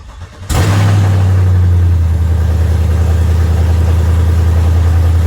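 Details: GM truck converted from V6 to V8, first start after the swap: cranks briefly, catches in half a second and on the first try, then a deep, steady, even idle with no misses or knocks and no security light; healthy.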